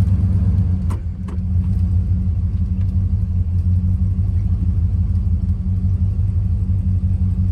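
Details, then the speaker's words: Plymouth Fury with a Mopar 383 V8, started on choke: runs well at first, then a rough, uneven low thump rides under the idle rumble; rod knock, attributed to a worn rod bearing and damaged crank journal; engine to be pulled and torn down. "it does run pretty well before it starts knocking"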